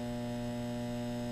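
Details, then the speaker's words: Household breaker panel: one of two "general" breakers causing issues gives a constant low steady electrical buzz, reportedly getting very loud when left on; cause unknown. "But there's a light humming now. I don't know if you can hear that,"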